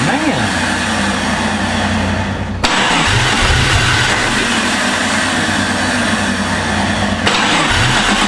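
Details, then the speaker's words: Jeep with a swapped-in replacement engine, meant to be running on six cylinders: it cranks, catches, then runs rough and lumpy with an uneven beat; one ignition coil boot was found not seated on its plug, leaving a dead cylinder. "That's weird cuz now we know it's running on six and don't want to run low. Is it seated correctly?"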